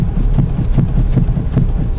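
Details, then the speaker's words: Car idling on the ground, steering wheel rocked rapidly with wheels held on pavement: a dull low thump about every 0.4 s from play on the driver's side, a worn tie rod end; passenger-side end recently replaced. "that means there's play in the system and so now I'm pretty convinced and it sounds like it's on the driver's side"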